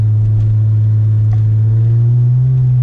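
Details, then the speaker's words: 2005 Nissan Altima SE-R cruising: deep steady booming drone rising slightly with speed, from an exhaust with no cats or resonators and only two mufflers, essentially a straight pipe. "the drone is pretty annoying to be honest but that's just because there's no cats"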